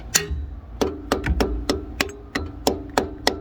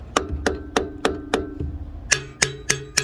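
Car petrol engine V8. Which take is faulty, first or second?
first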